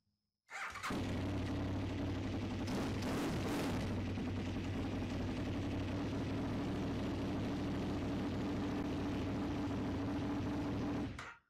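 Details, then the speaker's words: KTM 990 Duke V-twin after fuel filter kit and oil pressure switch replacement, tank still dirty: catches quickly, settles into steady even twin idle with no knocks or misses, shuts off cleanly; normal start and idle. "let's give it a go and see seems to be doing his job give it a restart again"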